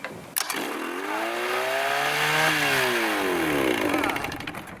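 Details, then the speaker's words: Vintage Johnson 35hp outboard that wouldn't turn over on the key, fixed by putting it in neutral for the neutral safety switch: short crank, fires and catches, revs climb then ease, runs clean; starts normally. "aside from electrocuting myself at the same time it started right"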